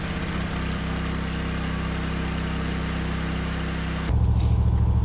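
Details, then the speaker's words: Small generator powering an air compressor for tractor tire inflation: even, steady low drone at idle with no electrical demand, stepping up louder near the end as the load kicks in; normal no-load idle. "So the generator is on idle right now because it's not seeing any demand for electricity. But once I put air in this tire, you're going to hear the generator kick on."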